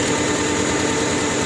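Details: Opel Vectra 1.6 with hard starting and low power, new plugs and leads: uneven, lumpy idle with an irregular stumble. Cylinder 1 shows no spark reaction; compression there about 200, good. Misfire from a faulty ignition coil.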